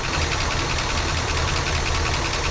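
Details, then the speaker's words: 1967 Cadillac DeVille convertible V8, long-stored, first start on ether: lumpy uneven idle with a dropped beat and noisy lifters; misfire with a dead cylinder, number seven not firing judging by temperature despite good spark and correct firing order. "decent crank sounds a little uneven there yeah little noisy s it's like pretty good though some misfiring"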